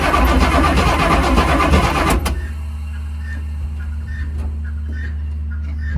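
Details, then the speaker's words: 1979 Chevy Suburban 8-door shuttle, cranking on a part-charged battery with jump pack, possibly no fuel: starter spins engine fast and evenly about two seconds; cranking strong and healthy. "That sounds quite good. That sounds better than my tow truck."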